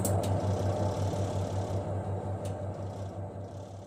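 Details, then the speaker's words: Twin-tub washing machine spin dryer after repair of squeaking during rinse/spin: shaft clamped to rinse tub with tightened bolt and lock bolt; steady low motor hum with soft even pulse winding down, no squeak or rubbing, normal spin. "Oke, ini sudah tidak berbunyi lagi."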